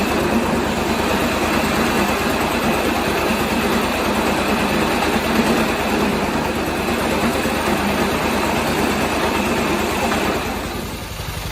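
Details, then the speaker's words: 1986 John Deere 216 lawn tractor idling after carb cleaning and PTO belt adjustment. A fast, even buzzing rattle rides over the engine beat from the loose sheet-metal side panels vibrating. "that noise you guys are hearing this that's the side panel over there both of them do it"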